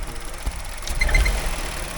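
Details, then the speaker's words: Car engine on the ramp, running under load, with three quick high-pitched chirps about a quarter-second apart; the mechanics suspect a pipe, source still unknown. "Yeah, it's like when you initially load the engine and when you're driving along you put it under load, it's like geek, geek, geek, geek, geek."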